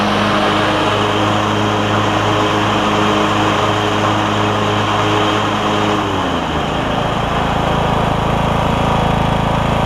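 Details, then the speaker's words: Troy-Bilt Bronco lawn tractor after new drive and deck belts and deck repairs, on concrete: small engine runs steady, takes on deck load at about six seconds and settles smoothly, no squeal or grinding; deck about half as loud as before. "the deck is a little quieter I may start it up and just let you hear it is going to be a little bit loud on the concrete but uh the deck seems to be probably about half as loud as it was"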